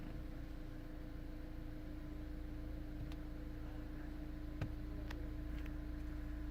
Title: 2 din radio making ticking sound